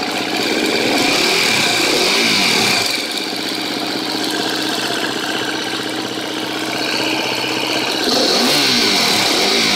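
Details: 2013 KTM 250 EXC-F Six Days idling and blipped: quick sharp metallic ticking over the single's beat persists through throttle blips; owner suspects a bad cam tensioner, unconfirmed.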